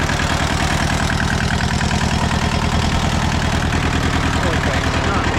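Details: Old Hinomoto small tractor diesel, first start after sitting about two to three years, glow plugs and starter jumpered, needs a radiator: low, steady diesel clatter at an even idle with no stumbles or knocks, running healthily.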